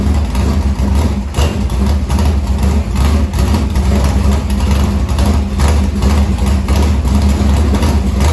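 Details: Morgan Machine-built open V8 (about 358 cu in) race engine in a Harris car, EQ heads, likely Edelbrock Victor Jr two-barrel intake, started after sitting a week and a half to refill an unhooked fuel line: lumpy, loping big-cam idle, even firing, no knocks, ticks or misses; normal race engine idle.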